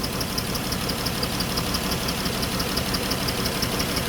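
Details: Dodge Chrysler minivan, 134,000 miles, overheated after driving with a coolant leak from broken plastic heater-core tees; idle with an uneven, lumpy pulse around three beats a second and light ticking on top: running rough, cause not yet confirmed.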